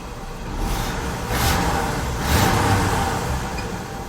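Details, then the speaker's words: 1968 Chevy C10 V8 after carb tuning, warm restart after a short drive and a few minutes sitting: the engine catches and settles, rising and falling smoothly through light blips with no miss, knock or stumble. Normal running. "Let's see if it'll crank up. Just listen to it purr."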